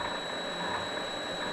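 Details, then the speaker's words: Vevor MX400 mini lathe after tensioner pulley improvements: a quiet, steady high-pitched whine with a faint ratchety texture from the change gears meshing, which can rub when mounted at an angle; normal, with no pulley noise. "that's the gear noise it's kind of hard too with these mounting system these gears can be kind of at an angle they can rub"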